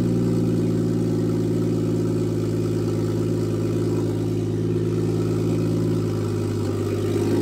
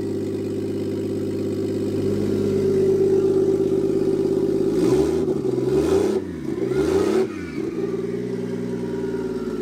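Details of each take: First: Toyota Aristo on new Garrett G35-900 turbo, first start with only about six inches of exhaust after the turbo: very loud, raspy idle, deep steady drone, no knocks or misses; normal idle. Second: Toyota Aristo at first start on a Garrett G35-900 single turbo, coolant not yet topped off, with only about 6 inches of exhaust off the turbo: raw blaring drone swelling with each blip, settling to a steady rumble; very loud.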